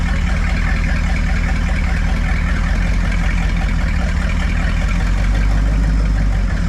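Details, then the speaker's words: Buick 455 big block (built to 461) in a 1971 Electra 225, never run before, idled down after 20-plus minute cam break-in: deep steady low rumble, no knocks or ticks; sounds settled and healthy. "so I'm going to idle it down to see what she sounds like [Music] sounds good it'll sound a [Music] lot"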